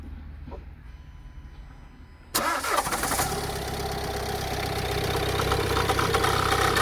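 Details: 2017 Renault Kadjar 1.6 dCi 130hp diesel just after a start: harsh, rattly drone with a steady hum over the idle, starting 2-3 seconds after ignition and lasting about 10 seconds; unidentified strange noise.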